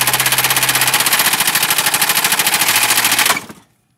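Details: Mercedes 220D diesel run low on oil: loud, rapid metallic rod knock hammering until the engine blows up and abruptly shuts off.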